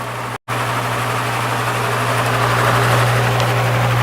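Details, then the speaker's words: Spare Marco motor with blade from Lasko/Galaxy box fan, repaired, running on low speed at about 1 amp and 80 watts: steady low hum with soft even air rush; runs fine. "Down to 1 amp on low speed and 80 watts. That's the voltage. Yeah, it runs just fine."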